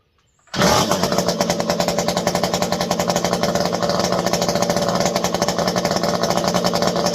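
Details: Stihl MS201T chainsaw, fully stock, about a decade old, worn, freshly deep-cleaned: it fires up and holds a steady, even two-stroke burble with a regular pulse, smooth with no stumbling; normal running.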